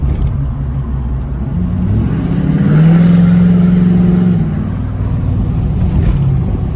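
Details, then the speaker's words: Ford F-250 Powerstroke diesel, about 12 years old, EGR deleted with straight-pipe exhaust, driving: deep diesel drone with turbo whistle climbs steadily under throttle, then eases off smoothly with no knocks or rattles; a healthy truck pulling hard. "But like I said, this thing sounds so good. You can hear it whistling."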